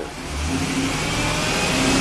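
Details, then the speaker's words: 1996 Chevy K2500 350 V8, after a lean-condition (P0171/P0174) fix: clean, even revs with a steady exhaust note and no knocks or misses; O2 sensors oscillating, total fuel trims near 0%, truck judged fixed and happy. "oh yeah this this truck is happy I can tell we'll take it out of spin do an oil change I think this uh customer will be very happy"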